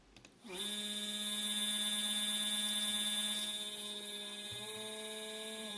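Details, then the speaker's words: Two stepper motors wired in parallel sharing 2 A, previously fine on a printer's X/Y axes, give a loud high-pitched whine with buzzing while accelerating; they go quiet at maximum speed. "okay now they are turning you can already hear that they're allowed foreign"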